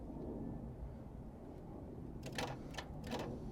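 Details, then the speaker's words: 1999 Chevrolet Camaro 3.8L, no crank no start after four shops: sharp dry clicking bursts when the ground lead to the PCM is touched to the block and disconnected; a poor PCM ground is the cause. "so remember this one was connected to our actual pcm all right there you go you see if we disconnect this let's go a little bit closer and we're going to hear the noise"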